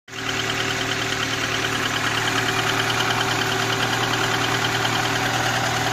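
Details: IZh-2126 Oda, cold morning start after sitting; steady idle with faint regular light tapping over engine note; cold-start knock, cause unknown.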